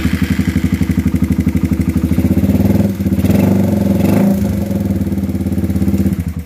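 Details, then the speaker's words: Raider 150 carb motorcycle, freshly overhauled with a manual cam chain tensioner, still ticking when hot. A steady single-cylinder beat with light tapping on top. Teardown found a tight exhaust valve (intake clearance fine) and the camshaft scraping the head. "pinaka-issue talaga nito, tukod yung exhaust valve dito sa intake, okay lang yung clearance. Pero ang problema, yung camshaft niya, kinayod yung head."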